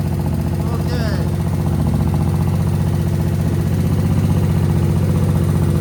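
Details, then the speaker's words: Suzuki VS1400 Intruder V-twin after cleaning the rear carb emulsion tube and freeing the needle, diaphragm refitted, both carbs filled: deep, even lumpy thump with no missing beats; both cylinders firing, normal running. "Oh, I think we're getting two. I think I'm hearing two cylinders started. Oh, listen to that. That's two cylinders. That's two cylinders."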